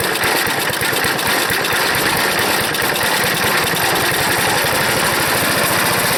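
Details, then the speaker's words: Wood chipper small engine brought home after sitting, choked fully at full throttle: loud, fast, choppy, uneven firing over a rattle, sputtering but firing; owner suspects a bad float and dirty carburetor, carb leaking and dripping. "it sounds like a sputter but boy that's a job pulling it i choked it all the way but it's got a bad uh float i think it's definitely firing it's got a real bad float"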